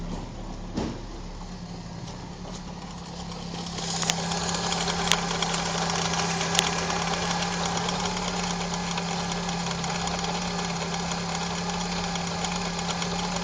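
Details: Opel Calibra engine at a steady idle, with a fairly regular light tick about three times a second riding over a low hum; abnormal engine noise, source not identified.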